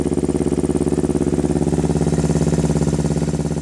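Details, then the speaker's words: Kawasaki Ninja 250R rebuilt to 12.5:1 compression, 40 idle jet, 117.5 main jet, raised needles, drilled slides, pod filters, stainless muffler and mid pipe; first cold startup idle sounds thin and weak, possibly lean, with slight oil smoke as rings haven't seated. "for how it sounds kind of weak like it's running lean and you'll see a little bit of oil smoke that's because the Rings haven't seated yet"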